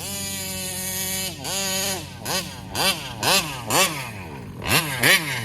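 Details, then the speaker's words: Kraken Vesla RC car with Taylor 35cc reed two-stroke: revs up in short bursts but sags back and never holds top revs, acts lean and dies off throttle, down on power and worsening. "yeah it feels like it's down on power"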